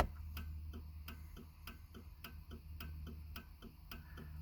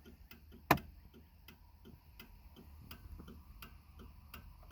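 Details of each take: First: 1995 Cadillac Fleetwood with parking lights on (marker and brake lights lit): turn signal clicks about three a second, hyperflash as if a bulb were out, yet all bulbs are bright; cause unknown. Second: 1995 Cadillac Fleetwood: crisp paired tick-tock flasher clicks at an even, unhurried pace in a quiet cabin, the turn signal cycling at its normal rate.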